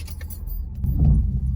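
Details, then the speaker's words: 2020 Ford F-250 Super Duty, 40,000 miles, after rough parkway bumps: springy metallic rattle under the front floor, triggered by engine vibration at startup and shutdown; idle rumble swells as the engine shuts off, brief jangly rattle, then silence. "when I start and stop the truck due to the engine vibration, it's causing that sound to appear, and it sounds like it's literally right below my feet in this area."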